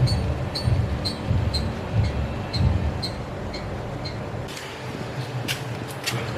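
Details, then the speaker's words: Turbo Ford Falcon with months of rear knocks, rear bounced: faint high squeak on each thump, about one a second, from the upper arm inner bush; clunks suspected from coilovers, spring seat or camber arms. "that squeaking is definitely that upper arm on the inner bush yep I can't get it to stop but when you're under there and you're getting bounced on you can hear it clear as day coming from that in a bush"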